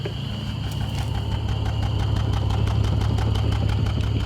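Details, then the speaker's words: E46 BMW misfire, mic aimed at the exhaust: rough idle with a steady popping stumble about three per second. Owner suspects a failed ignition coil. "it's got like a definite pop like a misfire"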